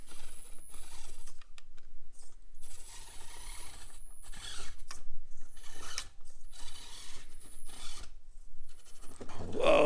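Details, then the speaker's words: Axial AX24 1/24 crawler after fitting Spektrum Firma 8A sensored brushless motor and ESC, climbing test lines: soft uneven gear chatter as it creeps, no motor whine; quiet electric drive, stock ESC whine gone, slight hitch off the bottom. "It is definitely an improvement over the AX24 stock setup. That whine is gone. It's very quiet."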